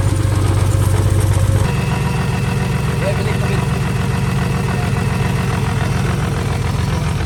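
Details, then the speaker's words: First run of a temporary replacement engine (original block destroyed), fuel pump fuse refitted, logged with HP Tuners: low idle with an uneven, lumpy pulse of about two to three beats a second. The owner suspects a vacuum leak, possibly the plugs; the cause is unconfirmed. "It's sounding like it has a vacuum leak. So as you guys can see, it's dark right now, so we can't really find where it's leaking from. But the car runs, you know, it's just running a little rough, and could be the plugs, whatever."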